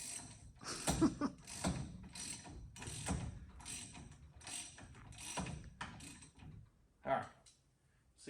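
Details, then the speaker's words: 1963 Mercury Meteor after drum-to-disc brake conversion: rotor turned by hand scrapes rhythmically about twice a second at the same spot each turn; rotor runout out of tolerance, to be corrected with a 0.010-inch shim behind it. "oh still sounds bad it takes yet but it still sounds bad rotor don't sound straight"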